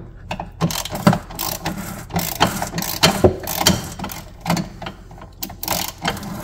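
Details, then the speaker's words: 1990 Kawasaki JS550 (550SX) stand-up jet ski, barn find, low hours, seemingly never disassembled: irregular hollow clunks and metallic rattles, two or three a second and uneven, from two broken motor mounts, expected at this age. "that's what 2 broken motor mounts sounds like. So that's to be expected on skis this old."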